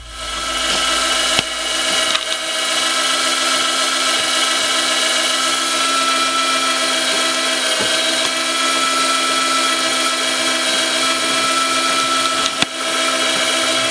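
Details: Drill motor geared down to drive a DIY standing desk by chains, modified after it kept tripping its power supply going up; moving slowly: steady high buzzing whir, constant pitch, no knocks or grinding, running smoothly under load.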